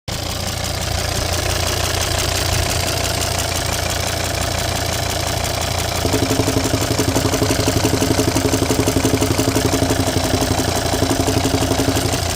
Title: volvo xc90 d5 185hp popping noise .pcv or lifters?